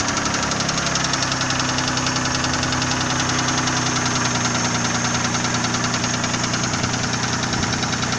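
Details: Nissan VG30E engine at idle: rapid, somewhat uneven ticking knock at roughly three per second over the engine hum; a knock of unknown origin.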